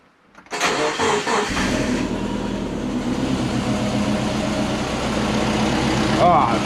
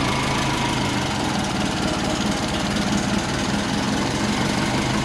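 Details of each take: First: Freshly rebuilt turbo Subaru Forester boxer engine, first start: cranks, catches and settles into an uneven, lumpy idle with a wavering beat; running rough on first fire, later sounding much better. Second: Rebuilt turbo Subaru Forester engine, first start-up after reassembly: a steady, even idle with a low, smooth burble and no knocks or ticks. The oil has stopped dripping (possibly fixed, possibly no oil left), and it sounds much better; the earlier problem was blamed on the pistons.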